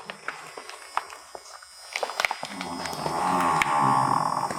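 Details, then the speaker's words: 1986 Ford Mustang LX convertible barn find that sat for decades: convertible top pump motor gives light clicks then a steady whirr but the top doesn't move; owner suspects low fluid. "The other ones probably just need some motors. You gotta do this the hard way. I can hear the motor run for the top, but"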